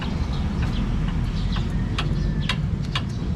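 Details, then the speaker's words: Toyota Altis with a noise complaint, stabilizer link worked by hand: sharp irregular metal-on-metal clicks, roughly three a second, that knock over bumps and potholes; worn stabilizer link, with a cracked suspension arm bushing also noted. "Yan. Yan po yung maririnig ninyo. Tunog na parang bakal, bakal to bakal."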